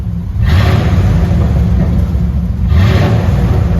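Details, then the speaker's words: 1998 Chevrolet K1500 4x4, Vortec 5.7 V8, five-speed manual, one owner, 80k miles, idling; deep even rumble with two quick throttle blips rising and settling smoothly; healthy, normal revving. "ac blows ice cold and truck has a great sound listen to this"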